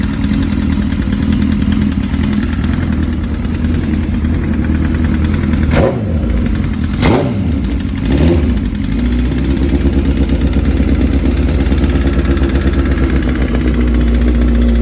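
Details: 2005–2006 Suzuki GSX-R1000 sport motorcycle idling with a rapid, deep knocking under the exhaust note; rod knock suspected, not confirmed.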